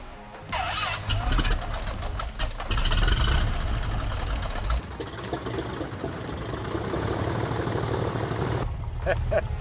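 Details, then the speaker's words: Piper Saratoga, newly overhauled engine first start after two years sitting: cranks, catches with rough burst of firing, then shuts down after about half a turn instead of idling. "It fired right up. Like literally half a turn and it shut down."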